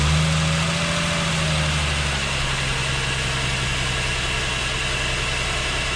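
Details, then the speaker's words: Mercedes E350 3.5 V6 after engine rebuild (was knocking and smoking with scored cylinders; new valve stem seals and gaskets), cold start: smooth, even idle with a steady low rumble and no knocks or ticks; barely any smoke. "Sounds pretty freaking good. Also, no smoke."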